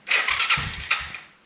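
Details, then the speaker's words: Kawasaki Bayou 220 ATV after rewiring the non-working electric start: short starter whir with a few firing pulses as the engine catches in neutral, key on, green neutral light lit; normal electric start. "Sounds like she's gonna do it."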